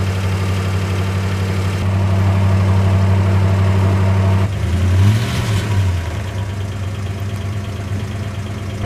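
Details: 1960 Plymouth Fury, just cold-started after years unused on stale gas, with the accelerator pump not working and the choke misset: deep, steady idle with no misses, and a quick throttle blip settles back smoothly. Running well.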